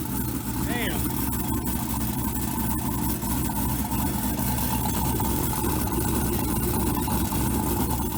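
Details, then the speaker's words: Turbo LS 5.3 with newly installed exhaust cutout (loud) valve: loud raspy idle with uneven chatter over deep rumble, exhaust leaking past the closed valve; quiet at seven inches of vacuum or more, leaks at five inches. "so the valve is closed right now and that is the exhaust leaking past the loud valve like crap well that's a bust damn"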